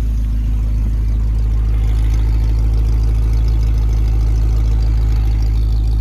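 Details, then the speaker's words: 1951 Pontiac Chieftain engine idling while warming up to temperature after coolant fill: deep, even low rumble, steady firing pulse, no knocks or misses; no coolant or oil leaks seen, healthy. "so yeah there it is running um with cool inant so I'm letting it get up to Temp letting it making sure it you know everything gets properly lubricated in there"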